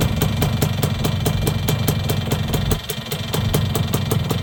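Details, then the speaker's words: Yamaha YB100 small two-stroke idling just after a new exhaust was fitted, mic in the same spot as before: a sharp, crisp tick about five times a second over a low rumble, still a big exhaust leak but smaller than before. "Got a pretty big exhaust leak. But a lot less of an exhaust leak than there was, for sure."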